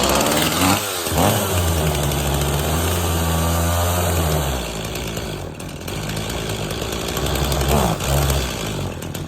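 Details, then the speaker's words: Stihl MS260 chainsaw that runs rough and stalls after being pinched in a tree: revs surge then bog and hunt when carb cleaner sprayed between carburetor and cylinder, revealing an intake boot air leak. "So I'm going to show you a quick way to check to see if there is a vacuum leak in between the cylinder and the air filter case."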